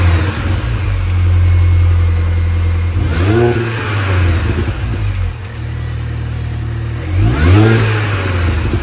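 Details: 2005 R53 Mini Cooper S, after timing chain, supercharger service, intake gaskets replaced and catalytic converter removed: engine blipped twice, revs rise and fall with odd note on throttle lift-off; noise still present, cause unknown.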